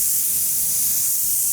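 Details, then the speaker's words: Rain Bird irrigation system spring start-up: a steady high hiss as trapped air escapes a sprinkler head while the lines fill, which is normal before the heads pop up. "there's a sprinkler head down there that's the air getting out there we go"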